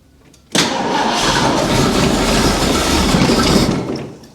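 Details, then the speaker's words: 1975 Bricklin SV-1, Ford V8, long stored unheated, first start after ignition work: catches into lumpy, uneven idle with occasional stumble; slight misfire, cause unconfirmed (timing or vacuum leak suspected, possible frozen water in block). "Ooh, she's got a little bit of a miss and whatnot, but she does something."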